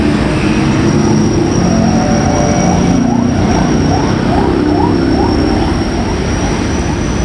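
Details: Electric wood planer previously sparking at the carbon brushes: a steady, even motor drone with a constant high whine and no crackle or surging, running normally.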